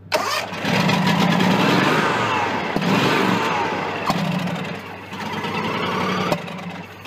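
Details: John Deere X300 with Kawasaki FH engine, 17 hours, cranked with brake cleaner in the intake: starter churns in repeated bursts but never fires; fuel-starved from a stuck carburetor fuel shutoff solenoid.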